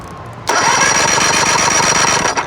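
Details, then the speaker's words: 1999 Johnson 70 hp two-stroke outboard that won't start, cranked for a compression test. Steady, even cranking beat with no lopsided strokes; cylinder two reads 130 psi, matching cylinder one. Normal compression. "130 pounds of compression. Now, as long as this bottom cylinder hits around 130, we're good to go."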